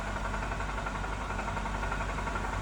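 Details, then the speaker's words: 2009 BMW 328i idling very low on oil: rapid, steady rod-knock-like knocking. After a quart of oil was added it got quieter; more oil is suggested, and a rod knock is suspected. "still hasn't registered yet my guess is you're really low on oil though it's gotten better it's not as noisy but add some more oil you might be able to get the noise down"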